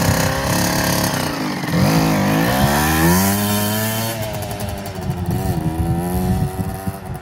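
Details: 2007 KTM 65SX two-stroke after top-end rebuild with a Vertex piston kit, heat cycled, ridden with gear shifts: crisp buzzing note rising and falling with throttle, clean and responsive; normal two-stroke running.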